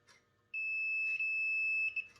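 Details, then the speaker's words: PS5 disc drive micro switches tested for continuity: a sharp, held high beep between short chirps because the switch is already closed, so the tester beeps constantly; repeated beeping, switch judged fine. "oh all right okay yeah yeah it's always on the switch is already on that's why we're getting beeps everywhere"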